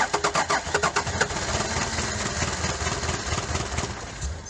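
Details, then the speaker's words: Daihatsu Fourtrak pickup, first crank after an engine swap for a blown head gasket, oil and water filled: about eight quick cranking beats a second, then it catches into a steady, slightly rough idle; a loose fitting leaks oil. "Let's just crank it and see what happens. Is it smoking? No. She might get going on her own, I don't know."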